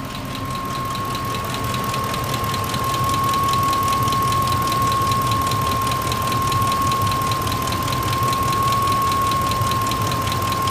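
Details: 2004 Ford F-150 XLT Triton V8 at idle, previously ran fine: sudden crisp regular ticking/knocking about four per second over the engine, plus steady high whine; cause unknown.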